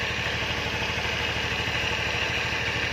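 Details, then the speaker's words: 2012 Honda Vario 110 carburetor scooter at about 70,000 km: steady, even putter at idle with a light, quick ticking rhythm and no knocks or rattles; the engine sounds tight and characteristically Honda; normal idle. "Kemudian untuk mesinnya juga masih kempel istilahnya itu khas suara dari Honda ini bisa kita lihat dengan bisa kita Dengarkan dengan seksama ya"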